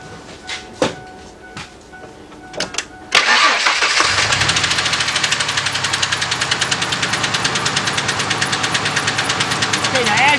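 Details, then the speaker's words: 1998 Ford F-150 4.2L V6 running rough at idle after plug and wire replacement: uneven misfire persists with a new sharp top-end tick about three per second, heard near the valve cover; misfire with ticking noise. "can see it's a little bit better but it still has the misfire and now we have this noise now i listened to it the noise is definitely coming over here"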